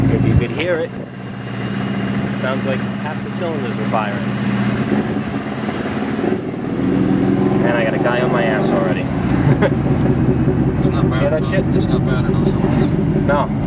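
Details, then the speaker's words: 383 stroker V8 with 454 injectors on tune chip #6, driving: lumpy uneven exhaust stumbling at part throttle and coasting, like half the cylinders firing, fine at full throttle; owner suspects bad chip tune. "it's running absolutely awful. Down it goes. Put the pedal to the radiator, she goes fine. But part throttle, coasting, I got half an engine running."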